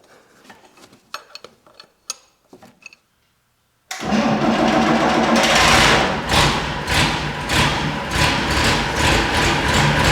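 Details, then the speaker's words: Unimog 416 diesel after repeated hand-pump repriming, lift pump suspected of not lifting fuel on its own: quiet clicks, then it catches and settles into a strong even clatter at pedal-held high idle; runs well on its own. "Man, that was really nice seeing and hearing this thing running on its own like that."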